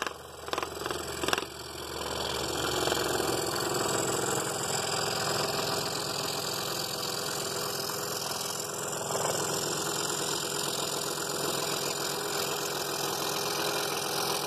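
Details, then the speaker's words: Scroll saw backing into a cut in thick half-inch walnut, with more sawdust building up behind the blade: steady fast reciprocating buzz with an even cutting hiss throughout. Normal running. "it's a little more problematic on a thicker piece because you get more sawdust and it's easier to get it back behind the blade"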